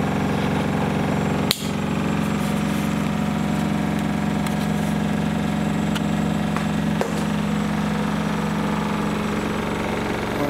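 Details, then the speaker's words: Samsung WW10N645RBW washing machine, first use, fitted tightly in an alcove so sound bounces off walls and floor: loud steady spin roar, low hum and whir, no knocking or rubbing; owner thinks above rated 73 dB; normal spin. "the sound level is 73 decibels which is a slightly above conversation level"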